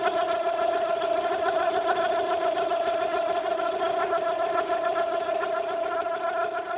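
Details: Fiat Brava 1.6 16v: steady high squeal with faint quick chirping over the running engine, from the timing/accessory belt area; the noise appeared suddenly and its cause has not been found.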